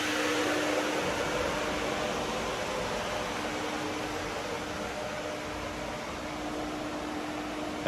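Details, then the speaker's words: Pontiac Fiero radiator cooling fan after replacement, running on ignition: steady rushing airflow with faint even hum and no rattle or scrape; fan moves plenty of air, runs smoothly and quietly. "you can see blows a properly high amount of air you can feel it from here and it's not too loud it sounds like any modern car"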